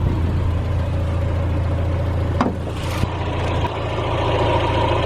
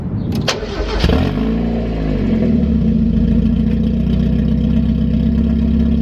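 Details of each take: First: 1991 Mazda Miata 1.6L fully warmed idle after installing cheap aftermarket headers in place of cracked, leaking stock headers, stock intake; low, even idle rumble with steady beat, no ticking, puffing or exhaust leak, quiet and healthy. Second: 1991 Mazda Miata 1.6 after fitting cheap used aftermarket headers in place of cracked stock ones, downpipe left disconnected with a gap before the catalytic converter: cranks, catches, then a loud, deep, blatty open idle. Exhaust leak at the downpipe.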